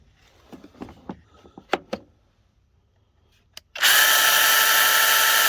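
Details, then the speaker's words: Cordless mini chainsaw on Dewalt 20V battery, bar oil not yet added, free-running with no cut: handling clicks then loud harsh steady high whir with chatter; sounds dry, noise suspected from lack of oil. "That one sounds really dry."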